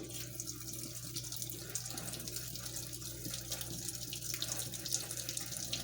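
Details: Washing machine on Heavy Duty cycle with all options, initial stain treatment with unusually little water; steady low drone under splashing and trickling water. Recirculation pump straining from low water level.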